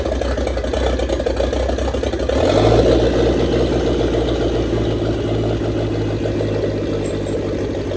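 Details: 1927 Ford Roadster with 2.3 L turbo engine, first start after fuel line repair on fresh 91 octane fuel: catches after about 2.5 seconds, then a fairly steady low idle hum, no knocks or squeals; normal idle, no leaks.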